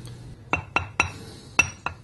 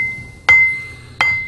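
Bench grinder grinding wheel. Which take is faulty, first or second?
first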